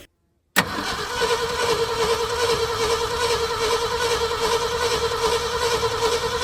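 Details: 1974 Ford F-350 grain truck, 360 FE V8, about 42,000 miles, sat about 12 years, carburetor rebuilt, fuel line temporarily rigged: steady starter whir with even beat, no catch or fire; cranks but won't start.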